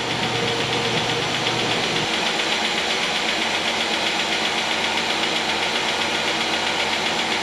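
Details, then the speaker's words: 2008 Chevy Equinox 3400 engine right after first start following head gasket replacement: fast light tapping over rough idle, no check engine lights; valve train a little dry, hoped to quiet as oil circulates. "she's tapping a little bit but the valve train is a little dry we'll give that allil time circulate through there and hopefully work out any of that noise"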